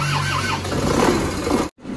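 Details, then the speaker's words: Isuzu Panther pickup diesel, reassembled after blow-by, injection pump timing just advanced: catches quickly and settles into a steady, slightly rough run with black smoke at first start, said to clear when warm; normal start. "Oke, ini mesinnya sudah hidup langsung hitam ya. Kalau hero 2 itu baru hidup saja langsung hitam tidak ada putihnya."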